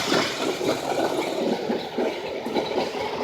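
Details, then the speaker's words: Jaguar X-Type petrol engine idling after water pump replacement and a coolant refill; uneven, lumpy beat skipping about twice a second, an idle misfire that is not yet diagnosed. "this engine has a misfire so we're gonna be figuring it out"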